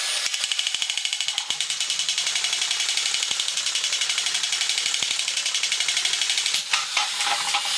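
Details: 1983 Horikawa Cosmic Fighter toy robot, motor shafts oiled after earlier squealing: a high-pitched gear whir with steady light ticking about four per second, the small motor gearbox now running freely.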